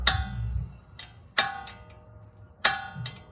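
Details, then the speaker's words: 2006 Honda Civic clunking from the rear when the brake is pressed and released: sharp metallic clacks as a rear pad with its hardware missing slides up and down in the bracket. "if you have a clunky noise coming from the back when you press the brake when you release the brake it might be your pads"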